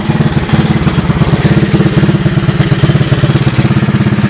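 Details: 1984 Honda ATC 200S with a new carburetor and replaced gas tank, on a roughly 90 °F day: a steady, even single-cylinder putter at idle with regular firing and no misses or knocks. It runs well.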